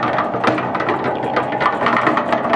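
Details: Newly assembled Harbor Freight 3.5 cubic foot cement mixer, model 67536, after greasing: busy even gear clatter at steady speed, no bearing grinding; earlier noise has quieted, running normally.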